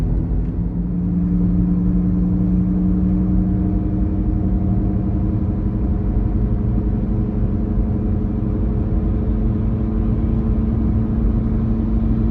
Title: Droning Noise